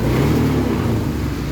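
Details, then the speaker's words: Honda BeAT FI scooter, starter unusable so kick-started: engine labours and stumbles under throttle and dies when throttle is opened fully; severe misfiring bogging, attributed to low fuel pump pressure. "Ya dia nggak mau kalau misalkan tuas gasnya dipulih sampai mentok malah dia mati motornya"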